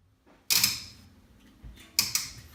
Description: Burnham boiler before starting up is making a weird clicking noise before startup. Trying to determine what is the cause and if anyone else has had this issue.